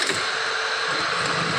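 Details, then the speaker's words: TVS Scooty Wego self-start after fixing a faulty battery pole/terminal connection and re-stripping wires: steady, even high-pitched starter whir with no clicking or dragging; self-start now working normally. "এখানে দেখছি selfie start হচ্ছে এখানে selfie start হবে"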